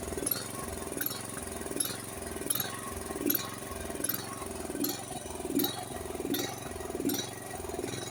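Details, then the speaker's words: Honda HS1132 snowblower engine before service: idle swells and sags about once a second, never settling; surging from a clogged carburetor, idle jet and emulsion tube probably clogged, main jet maybe slightly, to be cleaned in frame first. "You hear that up and down sound? That's pretty common with a clogged carburetor. Carburetor needs to be cleaned."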